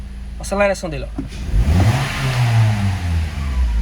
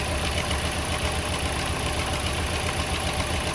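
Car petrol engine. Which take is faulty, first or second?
second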